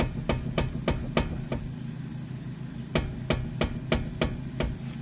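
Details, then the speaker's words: Acura RSX front wheel lifted off the ground and rocked left and right by hand: sharp dry knocks about three a second in two bursts, with visible play at the ball joint; badly worn front ball joint. "So when you tug it back and forth from the left and right positions, if you have a clunking, it's either your ball joint there or your tie"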